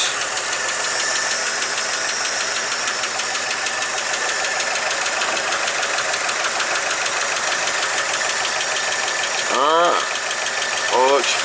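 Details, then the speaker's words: 1959 Chevrolet Apache 3100 pickup after exhaust manifold gasket replacement, oil maybe a little low; light quick even sewing-machine ticking over a smooth idle, which owner says it always makes; normal valvetrain tick. "you don't know that saffit sound just that's just normal it always sounds like something like sewing machine"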